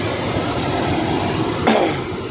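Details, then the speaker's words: Freightliner truck cab blower after blower motor replacement: steady, even rush of air with no grinding anymore, normal operation. "now, she sounds good, she's not grinding anymore."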